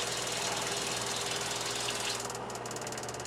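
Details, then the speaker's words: New Surflo 4008 Revolution 3.0 camper water pump running after replacement to fix low shower pressure, reaching about 55 PSI; steady low buzz with fine even pulse under rushing water, no knocking or squeal; new pump runs smoothly and surprisingly quietly. "a new pump is really quiet surprising even with it closed it uh it's pretty quiet"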